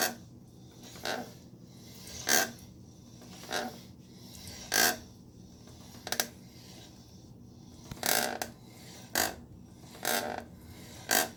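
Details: 2016 Triumph Street Triple R: rasping rub about once a second from the slowly turning rear wheel, source unknown.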